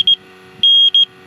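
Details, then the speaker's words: Freon leak detector checking the AC compressor for the '88 Jeep XJ beeps erratically, two short then long, almost like Morse code; may be from bumping or a loose black end hose, leak not confirmed. "almost sounds like Morse code, huh?"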